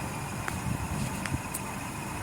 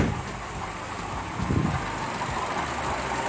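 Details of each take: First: Buick Encore Ecotec 1.4L idling with a low rumble and short thin chirps every second or so; long-term fuel trims far too high; covering the PCV made the chirp louder, so the PCV is the likely culprit of a vacuum leak. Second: Buick Encore Ecotec 1.4L after valve cover replacement: steady, even idle with AC fan whoosh, no whine or wheeze from the PCV valve anymore.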